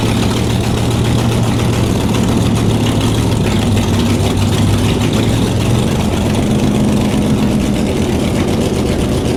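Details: Shelby Cobra 427 V8, back in the car and running for the first time in nearly a decade, on open headers with no mufflers: deep, steady burble with an even beat and no stumbling; smooth normal idle.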